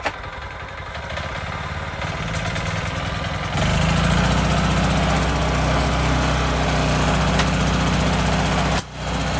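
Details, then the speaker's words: Mini tiller (管理機) that lacked power and revved poorly, test run after cleaning its clogged air cleaner and inflating flat tyres: smooth, even putter that picks up speed and holds strong with no stumble; running healthy, sounding completely different. "とりあえずは作業できますから音が本当に全然違うもん"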